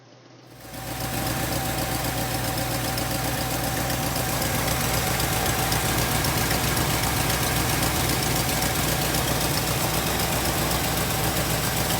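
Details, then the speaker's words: Mercedes-Benz R107 380SL after replacing the distributor cap and rotor arm: steady, smooth, even idle with no knock or stumble; previously knocked until warmed up for about 5 minutes and cut out when changing gears at idle. "r £70, this car now sounds so much better than it did before."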